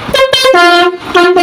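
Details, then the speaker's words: Truck horn set taken from another used truck, being tested: blasts jump between two tones in a choppy, broken sequence with missing notes, uneven because one horn unit is faulty. "jadi ini suaranya pincang ya karena ini ada rusak satu ini"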